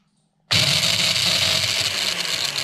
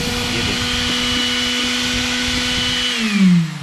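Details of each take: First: Mixer grinder motor run on the bench with direct supply, motor held with pliers: loud harsh rattling whir, rough and noisy rather than smooth; points to a worn shaft bush, to be replaced. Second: Mixer grinder motor after bush replacement: steady high whine with a clean even tone, then a smooth pitch drop as it coasts down, no rubbing or brush sparking; earlier noise gone, normal run.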